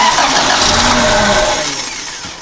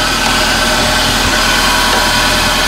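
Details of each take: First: 1994 Toyota Celica 1.8 with a no-spark problem and an aftermarket cold air intake: with key on and injectors plugged in, the engine spins over on the starter with a rough, catching note but never fires and fades away; flooded with fuel. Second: Toyota Celica after no-spark ignition repair; steady even idle with no misses, stumbles or ticks, little smoke from tailpipe; healthy petrol engine running.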